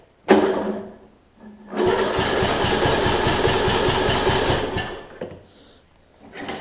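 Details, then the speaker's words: Troy-Bilt Bronco rider Briggs engine with valves out of adjustment, on a 230 cold-cranking-amp battery: short labored turn, pause, then steady cranking over the first compression hump; owner suspects worn camshaft lobes, not confirmed. "a 230 cold cranking out battery once you get it over that hump cranks fun I am fine with that"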